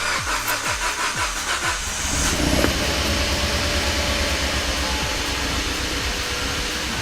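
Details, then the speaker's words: Kia Ceed GT (owner calls it "Pro Ceed GT") with a long-running cold-start misfire: with the coolant temperature sensor unplugged, the engine catches after brief cranking and ticks over evenly, no misfire, and still none once it is plugged back in. Owner suspects the coolant temperature circuit. "which it isn't that is ticking over absolutely fine so now well that's now plugged back in and it's almost like we bypassed the misfire"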